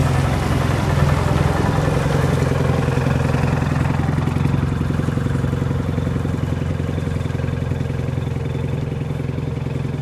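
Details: Military Munktell C1 "långa hund" hot-bulb road grader, bought broken in the early 1970s and never repaired, first start in 50+ years: slow, heavy thumping about 3.5 beats a second, fading with distance; running normally.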